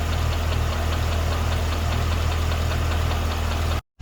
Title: 2012 CTS-V Ticking/Knocking Sound